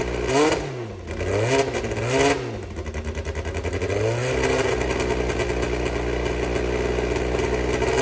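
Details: Brabham BT21 historic one-litre F3 race engine, first cold fire-up after rebuild (new crank, balanced conrods, new sump): catches, blips, settles to steady even idle with no knocks; oil pressure good, normal start and idle.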